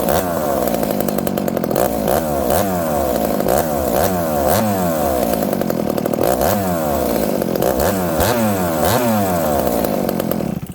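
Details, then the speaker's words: Husqvarna 266XP two-stroke chainsaw with an experimental ported cylinder and piston, built for torque and high RPM: it snaps from idle to a high scream and drops back instantly, repeatedly. Throttle response is crisp and clean. "It's got to be zippy on the throttle so that when you're limbing, okay, when you're in the bush and you're limbing, when you hit the throttle, you want it to go whack, whack, whack, not vroom, vroom."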